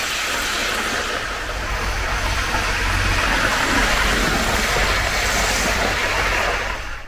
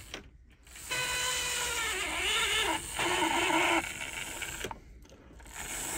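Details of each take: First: 1980s Hornby APT model train circling the track after a ringfield motor upgrade kit replaced its worn armature; a smooth, steady whirr and rail rumble with no stalling, grinding or surging. Normal running. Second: 1980s Hornby APT, original motor in the centre car before repair; a thin, labouring whine rises and sags with scratchy stops and starts, sticking when power is applied. It is lethargic and noisy with carriages on. The cause is a worn armature/commutator; the owner first suspected lack of oil.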